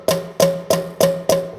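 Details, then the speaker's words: 1935 John Deere BO, a previously stuck valve freed and worked by hand: five crisp wooden snaps about a third of a second apart. The valve is closing freely, as it should. "that's what you're supposed to sound like"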